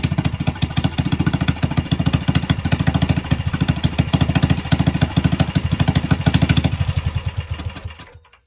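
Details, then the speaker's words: Predator 301 engine, hand ported and polished, with an approximately 28 mm flat-slide carburetor, at its first start. A fast, choppy single-cylinder putter that never settles shows the idle is too high and cannot be set lower, cause unconfirmed. "It's idling too high, and I can't go any lower."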